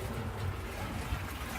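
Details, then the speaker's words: Maytag Centennial top-load washer after repair of a grinding/squealing fault from the motor side: rinse and spin cycle with steady low rumble and water swish, no grinding; normal operation. "I'm running a rinse and spin cycle right now. Doesn't seem to be grinding anymore, so that's basically the issue on this one."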